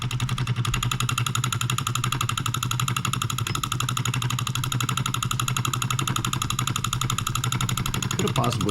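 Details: NOS late-1940s/early-1950s Wilkemp Jr Model E solenoid electric engine, Fishers Indiana, possibly first run in 70+ years: rapid even clicking at steady pace, runs freely, shaking slightly from poor balance, running well.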